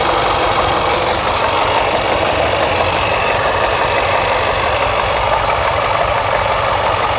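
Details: Jaguar XFR with AJ133 5.0 V8: rough, uneven beat with ragged, hissy exhaust note, misfiring on rear bank cylinders 5–8, starting with cylinder 6; codes P0300, P0306, P1315, P228F fuel pressure regulator too high, P00C6 rail pressure low when cranking.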